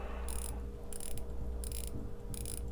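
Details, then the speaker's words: Aquatico Dolphin 39mm NH35 diver watch, bezel turned by hand: four short bursts of crisp clicking; ratchet action tight and stiff but works, stiff bezel ratchet. "seems kind of tight action seems okay it doesn't seem great but it seems okay"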